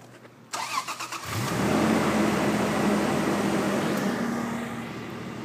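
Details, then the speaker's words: Toyota FJ Cruiser cold start after cranking with the EFI relay pulled until the oil pressure light went out: it catches cleanly into an even idle without the usual nasty startup noise. Owner suspects an oil pressure issue, possibly VVT-i priming or hydraulic lifters. "started like a champ so it's uh it's an oil pressure issue so cranking it over with no EFI relay until the oil pressure light goes out there uh there's no nasty startup sound"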